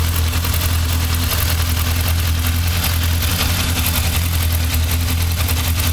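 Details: Yamaha XJR 1200 engine at idle: a steady low idle with a fine, busy clatter on top; abnormal engine noise at idle, cause not identified.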